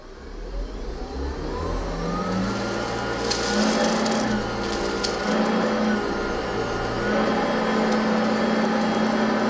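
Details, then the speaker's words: Hoover ONEPWR HEPA+ cordless upright vacuum (BH55500PC) on high setting, recorded with a studio microphone; steady high motor whine and even airflow rush, normal running. "the other thing that's being done this test is you'll get to hear the actual sound of the machine through a studio microphone let's see how this hoover does and we'll be doing this on the high"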